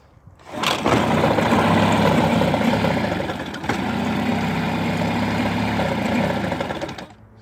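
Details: 1988 Mercury 9.9 hp two-stroke outboard running rough, misfiring throughout the rpm range even after both bad coils were replaced and the power pack tested good; cause was a kill wire at the handle intermittently grounding out.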